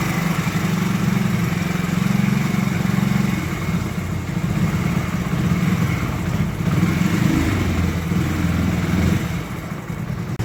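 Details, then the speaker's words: Hero HF Deluxe BS6 single-cylinder bike with a starting problem, now running: even, steady thump at idle with a brief rise and settle, no misfires or rattles; normal idle. "చూడండి friends బండి అయితే okay అయిపోయింది చూడండి"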